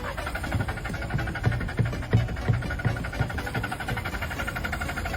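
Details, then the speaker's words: Secondhand car that only starts at night, won't start in daylight, spark plugs and oil pump already replaced, throttle and oil line cleaned: starter churns at about three compression pulses a second but never catches; cause dirty intake air temperature sensor. "There's something strange wrong with this car. It can only be started at night. As soon as it gets bright, it won't start anyway."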